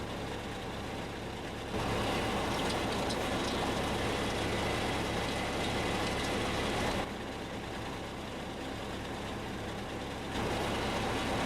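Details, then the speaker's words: Small pickup truck at idle: a gritty whirring rush appears whenever the clutch pedal is pressed and settles when released; worn clutch release (throwout) bearing, not the transmission. "y este es un síntoma característico de un problema en el clutch más específicamente hablando un problema en el balero collarín"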